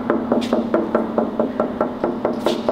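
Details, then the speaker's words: Tap test on a carbon fibre mast laminate before final resin cure: sharp, clear taps about every quarter second, each ringing briefly like struck steel, showing a solid, well-bonded laminate with no dull spots. "Klopftest damit damit man hört wie gut das Laminat ist das muss Tönen so mehr oder wenig wie Stahl dann ist es gut"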